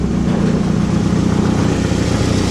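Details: 2009 Nissan Altima on a lift, engine idling, heard from underneath: loud, raspy idle with a fast puffing chuff under the rumble; exhaust manifold cracked, probably where it meets the cat, making the car loud; manifold to be replaced.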